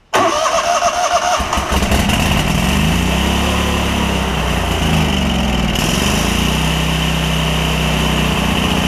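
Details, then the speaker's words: Lincoln Ranger 8 welder generator, Kohler Command CH20 V-twin with suspected debris in the fuel system: cranks and catches, then speed hunts up and down unevenly and won't settle, slowly improving; stuck carburetor float starving fuel. "it really really wants to every time it gets a little bit better and a little bit better"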